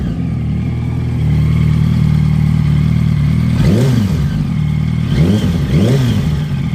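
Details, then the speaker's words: 2008 Yamaha YZF-R1, 14,000 miles, warm idle with side cover off and two quick revs: light uneven rattle over exhaust note from top end, front of valve train toward exhaust; manual cam chain tensioner fitted, valves adjusted; cause unknown. "so yeah it definitely sounds like it's on top of the engine"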